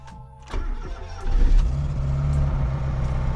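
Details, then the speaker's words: Fiat Panda restomod, not run for about six months, with exhaust manifold, lambda sensor and heat shield just refitted, cranks briefly and starts instantly, settling to a steady, even idle; healthy start. "Et au quart de tour. Ça fait genre 6 mois qu'elle n'a pas tourné, c'est magnifique."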